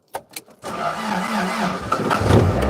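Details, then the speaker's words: Toyota MR2 on its 40th birthday, out of gear in the garage, starting after storage: a few short cranking bursts, then it catches and settles, idling a bit high at first. "There she goes. Well, I knew she would start."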